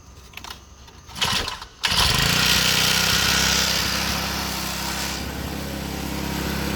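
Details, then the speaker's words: Repaired pocket bike, lifted off the ground after fix: catches after a couple of pulls and settles into an even, slightly fast idle set high so it won't die, no stumbling; running normally. "As you can see, the RPMs are a little higher because otherwise it dies. So that's how it should be."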